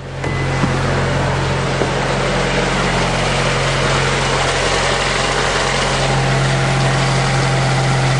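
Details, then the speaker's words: Honda Accord VTEC test-started after timing and balancer belt replacement, covers off, crank pulley finger-tight: catches at once, smooth even idle, steady low hum, no knocks or vibration; normal start and idle. "problems and no vibrations so I got those uh balancer belt on right too"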